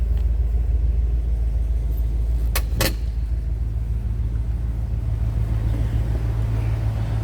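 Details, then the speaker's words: 1976 Lincoln Continental 460 V8 just after start-up: a low, even idle rumble with a steady beat and a couple of brief clicks, running smoothly with no miss or knock, which is normal. "let's go ahead and fire this up i said that 460 runs smooth"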